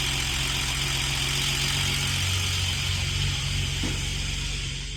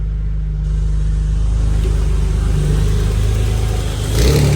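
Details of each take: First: Old inline-six in manual BA Falcon drift car, failed halfway through a morning event: rough idle with a steady metallic rattle-knock about four beats a second, internal engine damage; engine replaced with a green top Barra. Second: Ford BA Falcon drift car, green top Barra inline-six just swapped in (new welsh plugs, cleaned sump, 25% underdrive pulley), oil pressure 60: fires, settles into smooth deep rumble, takes a clean rev blip without clatter; healthy.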